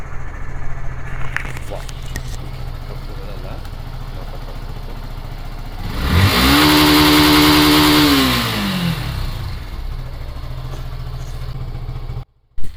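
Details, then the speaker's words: 2016 Yamaha FZ/Fazer V2 FI motorcycle, 54,000 km, engine never opened, throttled to the rev cutoff for a vibration test. Steady idle, smooth climb to a held high-pitched rev at the limiter, clean drop back to idle; healthy. "Start பண்ணி throttle full throttle cut off அடிக்கிற வரைக்கும் throttle கொடுப்போம்."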